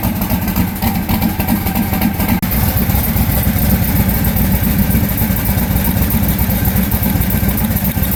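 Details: Austin's car at idle, cylinder not firing on temperature check, coil, spark plug or injector suspected: lumpy idle loping three or four times a second; two cylinders dead, misfire.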